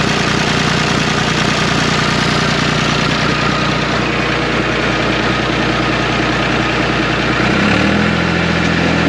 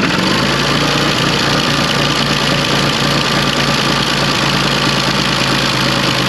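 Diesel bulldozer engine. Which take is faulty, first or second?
second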